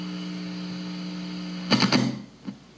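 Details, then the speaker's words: Fender Frontman 10G guitar amplifier (Indonesia-made): steady low hum with higher buzz on top, present with no input and only on the overdrive channel, gone at zero volume or with bass and treble down; a handling thump follows. "a humming sound even if the uh there's no input even if you pull this out there's still a huming sound if you turn off the volume then you cannot hear the uh humming sound"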